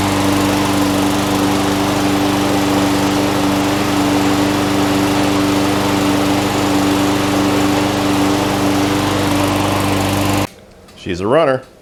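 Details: Craftsman mower, Briggs & Stratton Quantum single-cylinder, after replacing a broken camshaft. Even, steady drone at constant governed speed with no misses or knocks: running healthy. Light smoke is oil dripped on the muffler.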